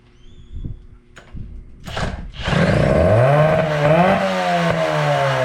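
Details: 1983 Evinrude two-stroke outboard after power unit work, started with starting fluid and primed bulb: a few light knocks, then fires into steady, even buzz climbing smoothly with throttle; normal running.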